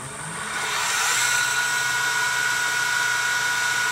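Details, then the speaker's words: Second-prototype 2x72 belt sander/grinder with gas-piston belt tensioner (40 lb): motor spins up to a high whine with a shaky roar; contact wheel not balanced for the speed, vibrating and shaking the whole machine. "can see there's vibration in that wheel. Shakes the whole machine a little bit."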